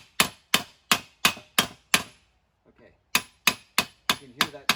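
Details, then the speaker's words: Mercedes W163 new front wheel bearing tapped in using the old bearing as a driver: sharp ringing hammer taps, note turning stiffer and harder; bearing fully seated. "it's hard to explain it's a stiffer sound than um then just tapping on it"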